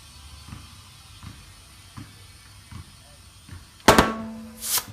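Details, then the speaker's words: Tubeless front street-bike tire changed by hand, valve stem reinstalled, being aired up: soft regular air-pump thumps, then two sharp loud pops as the bead snaps onto the rim, showing the tire bead is properly seated. "Alrighty, then you just gotta air it up. I already put my valve stem back in. It's gonna pop twice."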